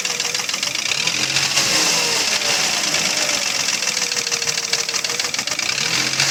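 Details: Mercedes ML320 with an M112 3.2 V6: a hollow, uneven knock that sharpens with revs, pistons slapping loose in cylinders with deep scoring; a common fault on M112 and M113 engines, fixable with aftermarket liners.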